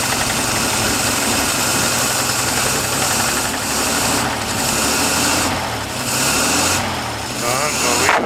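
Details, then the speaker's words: 1950 Dodge straight-six, first start in 40 years, hard to start: catches and settles into even, steady running, no knocks or misses, all six firing; owner notes milky oil and slight rattle. "that's it sounds good okay OOP all right well that was fun boy that was not easy to get that going"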